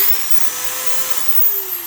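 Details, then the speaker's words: Hitachi D10VH 3/8" utility drill, 2500 rpm, 6 A, free running: smooth steady motor hum holding one pitch, dropping off on trigger release; quieter, more pleasant sound than the D10VH2, healthy. "But it is certainly a more pleasant sound."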